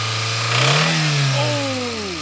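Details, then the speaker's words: Nissan/Datsun A-series engine warming up: revs rise and settle with a heavy, hollow knock beneath the tone; big end bearing has gone, so the engine must come out and the block be replaced. "the big end has gone which means we're going to have to replace the engine"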